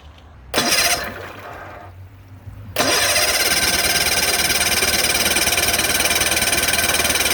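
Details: 1972 Sea King (Chrysler) 35 HP outboard, first start in nearly 20 years after flywheel/ignition cam key replacement, shift tied in neutral: a few failed pulls, then catches into a fast, slightly uneven buzzing run; fuel pump needs rebuilding, further tweaks needed.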